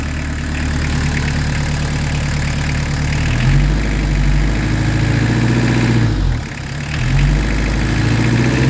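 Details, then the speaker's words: Peugeot 205 TD diesel after re-timing its PES injection pump, listened to at the exhaust: deep, steady idle with an even beat and only a brief dip, no stumble or misfire; running smoothly, normal idle. "Voilà. Ça tourne rond. T'as vu comment ça tourne rond?"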